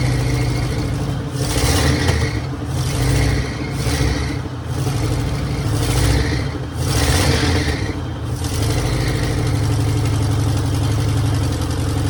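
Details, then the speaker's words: 1966 Mercury Monterey big-block Ford V8 after a fuel leak fix; rumbles at idle, pulls up cleanly through several blips, drops back to steady even idle, "running like a top"; normal running and revving. "oh H there I'd say that is running like a top"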